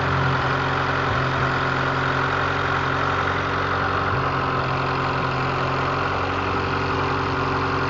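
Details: Honda CRX with a B18A1 block and B1 head, timing belt re-tensioned for the third time: a steady idle with a thin, constant-pitch high whine over the engine note; belt-drive whine whose cause is unclear, though the issue was reportedly solved.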